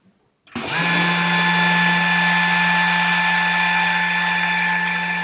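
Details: 775 DC motor running unloaded at about 800 mA during tachometer RPM test: starts abruptly and holds a steady high whine with constant low hum; smooth no-load running, nothing wrong.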